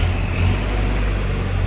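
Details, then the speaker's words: 1972 Range Rover Classic Suffix A diesel being recommissioned, first start after sitting: cold, choked engine runs with a deep, steady drone, a little rough but no knocks, smoking somewhat; normal cold idle. "oh it's a bit cold come on warm up come on wow i wish you could see my face right now i did not expect that to start"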